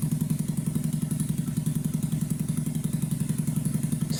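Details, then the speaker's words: 2009 Skyteam Bad Boy 50cc four-stroke single after an oil change, vacuum leak fixed and idle raised. Steady, even putt-putt of about 220 beats a minute, constant sound, no misses or hunting; clean, healthy idle. "It's like that's the sound you want an engine to make. Just constant constantly the same noise while idling."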